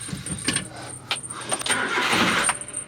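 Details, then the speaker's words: Carbureted mini truck that had broken down: short, uneven bursts of starter cranking and the engine never catches. Cranks but won't start; a carburetor fault is suspected, more than a simple fuel-delivery issue. "all right well that's not working so this thing's carburetor right so it's not as simple as a fuel delivery issue"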